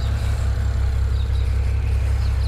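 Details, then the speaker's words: BMW E92 335i N54 with 17T hybrid turbo idling deep and lumpy with a rhythmic stumble, no fault codes or dash warnings; owner suspects a cylinder down on compression or misfiring, cause unconfirmed, appeared one day after previously running fine. "yeah to me that sounds like a cylinder's down um or a cylinder is still firing but it's not firing properly"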